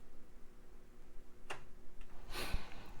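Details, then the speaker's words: Water-damaged Xbox One S with no power, after a short was cleared and 12 V applied: a couple of sharp single clicks from the console's speaker in a quiet room; cause unknown. "to 12 volts I'm hearing an audible click sound maybe it's coming out of the speaker yep"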